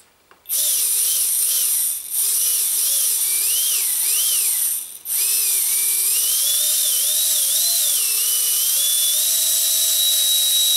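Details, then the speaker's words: Micro ducted fan (EDF) spinning with a thin high whine wavering with throttle and a slight rough edge from rotor imbalance; fingernail used to amplify the vibration while balancing with tape, after which vibration is no longer heard. "also using my fingernail here to do exactly what I did with this which is to amplify the vibration and unbelievably second hit um I'm there I can't hear the vibration anymore"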